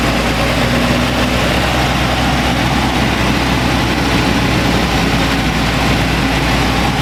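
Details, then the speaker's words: 1985 GMC Sierra S15 (S10-type) 2.5L four-cylinder 2WD pickup, about 31,000 on the odometer, straight-piped after a plugged catalytic converter, fully hot: loud raspy open-pipe idle stuck high with an occasional faint stumble; owner suspects the idle control valve; head gasket also suspect. "You can tell the idle up. Now the engine's already hot. That idle should be coming down. It shouldn't be that high still yet."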